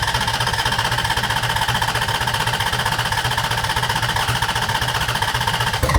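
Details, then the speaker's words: DeLorean fitted with a Ferrari V8 and FuelTech FT700PLUS management, during first start attempts: fast, choppy, lumpy pulses of about four a second; it fires but runs rough and won't settle. A lean mixture is suspected, with fire from the exhaust. "Aqui tá pobre. Fogo no escape. É porque ele tá querendo pegar, né?"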